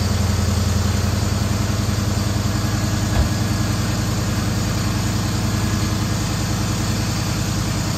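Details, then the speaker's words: 2011 Dodge Charger idling after AC compressor replacement, air intake tube off: a steady, even low rumble with no squeal, rattle or grinding; the compressor noise is gone, with only some intake air noise left. "so much better. Still hear some sounds, but I mean, it's much, much better. The compressor isn't making noise now."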